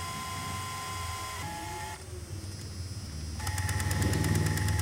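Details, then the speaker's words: Sony MiniDV camcorder Z-type tape mechanism cueing in reverse: steady whirring tape drive with a regular tick about four times a second; cracked nylon spindle table, likely supply side, upsetting tape tension; fix is replacing it. "That problem is a spindle table. It's cracked cuz it's nylon [ __ ] So, the only way to repair that is to replace uh the spindle table."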